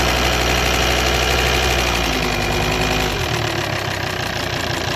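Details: 2008 Volvo XC90 automatic with D5 diesel: steady idle with a light quick tick, about three per second, coming from behind or at the injector rail. The car runs fine with no hesitation; the owner suspects the injectors.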